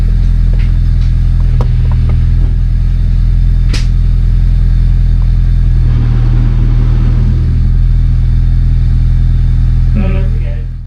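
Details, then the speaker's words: Honda Civic EJ9 after a spare gearbox swap: in reverse, a loud steady low droning growl with a rough beat, as if the gears are grinding, while the wheels spin; the release bearing is also noisy. Cause not confirmed. "Reverse is making one of the most horrendous sounds I've ever heard."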